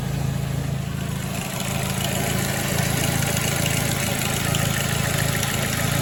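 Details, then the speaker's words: 2006 Ford Focus ZX4 at idle on ramps, before repair: faint dry rubbing hiss over steady idle from the belt drive; worn idler pulley bearing, pulley to be replaced. "so here we go we got almost a rubbing sound [Music] that right there is the pulley that I'm going to replace"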